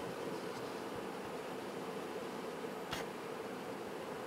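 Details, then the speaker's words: BitFenix Prodigy water-cooled home server with a Swiftech Apogee Drive II pump, XSPC EX240 radiator and Gentle Typhoon fans: a faint steady airy hiss with a soft pump hum and one click. Normal quiet running. "the main sounds are the uh the fans the gentle typhoon fans the front fan is hardly you can hardly hear it at"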